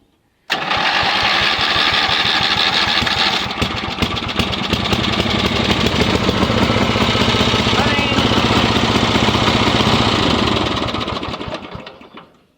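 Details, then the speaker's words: Yardman (MTD) riding mower after removing redundant seat-safety wiring and reconnecting the kill switch and charging wires: fires straight up, runs steadily about ten seconds, shuts down cleanly; normal start and run. "Let's start it up again and see if it works in reverse. Well, that all runs well. Awesome."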